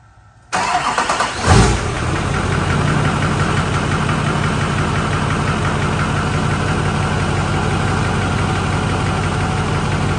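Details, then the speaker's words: Diesel truck after new pulley, belt tensioner and belt: starts at once and settles into a steady, even idle with no belt squeal, which it usually had at start-up. Normal start and idle. "well no squealing this is awesome usually when I start it up you hear the belt squeal so it's quiet check it out oh yes sounding good now"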